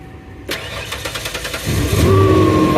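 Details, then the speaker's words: Ford Explorer at the auction yard in Florida, first start with its key: short brisk crank, fires promptly into a smooth even idle; normal engine start. "nice it started right up"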